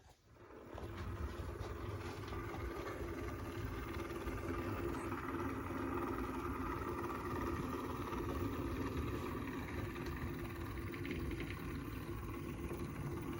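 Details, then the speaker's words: Bachmann Classic DC 44-tonner (Santa Fe 463) converted to DCC, running on one motor after one of the dual motors sparked; soft steady hum with even whir spinning up and holding speed, no sparking crackle, motor settings still slightly abrupt; normal motor running. "so in the end we ended up with just using one motor and it works fine and that's what you're seeing right here it already has plenty of weight and it can pull a lot of cars I tested it"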